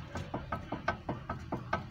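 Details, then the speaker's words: 2010 Kia Cerato, sway bar link rocked by hand, car parked: sharp dry clicks about five per second from play in the link's lower ball joint; worn stabilizer link ball joint, fixed by replacing link. "é um barulhozinho que com o carro parado pode até parecer um barulho baixo um barulho que não incomoda porém as duas beletas com uma folga assim você andando no carro trepidando na rua é um barulho insuportável"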